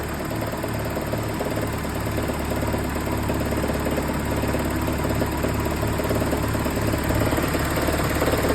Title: Rod Knock? 1993 22RE